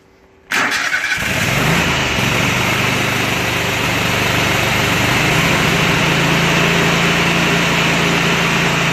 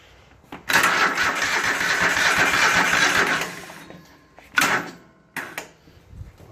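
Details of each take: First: Kohler Command 25 hp CV730 V-twin on Husqvarna riding mower, after carburetor cleaning, coil replacement and mouse-damaged wiring repair: starts at once, steady even idle, no surging or missing; running properly. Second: Husqvarna riding mower with Kohler Command 25 hp CV730, after carburetor cleaning, coil replacement and rewiring following mouse damage: starter cranks about three seconds at a dragging, uneven pace and never catches; battery is bad, charger reconnected.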